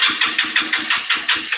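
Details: Hank Hill Killer vehicle with factory exhaust refitted: even starter-driven chugs about five per second as the engine cranks long without catching; fuel appears slow to reach the carburetor and it needs gas fed in. Cause suspected, not confirmed.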